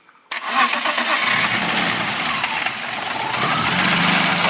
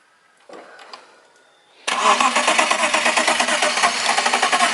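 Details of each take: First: BMW E36 petrol: the starter catches at once after the ECU relay is swapped back in (fault was simulated) and the fuel pump relay fitted. The engine fires cleanly and settles into a steady idle with no stumbling. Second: BMW E36 with fuel pump and ECU relays tested good: cranks and catches on residual fuel-rail pressure, stumbles unevenly for several seconds and dies; fuel pump suspected weak or failed.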